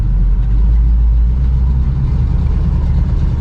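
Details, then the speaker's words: Barn-find 1971 Pontiac Formula V8 driven a couple of blocks: deep, smooth rumble pulling evenly under light throttle with no knocks or misses; sounds like a good motor, normal running. "Man, I'm worried about that tire. Boom. Sounds like a good motor, you know?"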